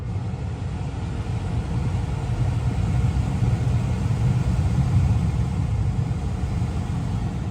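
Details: 2022 Tesla Model 3 rear-wheel drive with heat pump, very warm day, defrost on, heard from outside: steady low hum with a soft whir, no knocks, rattles or squeals; heat pump running smoothly and normally.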